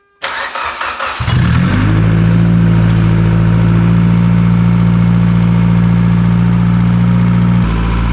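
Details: Rebuilt 800 WHP Mitsubishi Evo X, first start after the build, with 21 psi oil pressure, fuel pressure up and no leaks: short cranking catches within a second and settles to a smooth, very quiet, even idle with no ticks or knocks. Normal idle, not yet at operating temperature.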